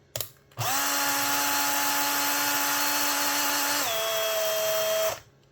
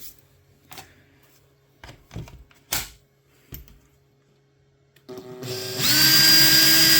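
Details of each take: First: Makita 18V drill: motor whines steadily then pitch sags as it labours, running slow and visibly smoking with a burning smell; owner suspects a melted motor. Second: Makita 18 V drill that had run slow and smoked, suspected melted motor, test-run after opening and reassembly: spins up to a clean steady high whine and holds it; weak motor but working.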